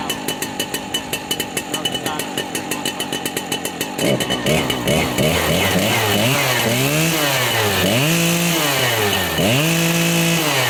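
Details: Husqvarna 3120 chainsaw being readied for the season: it fires and settles into a steady fast idle, then the revs rise and fall cleanly on the throttle with no misses; a healthy saw.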